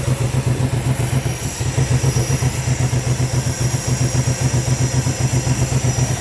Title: L322 4.4 V8 random misfire due to coil packs 3 & 7 faulty ,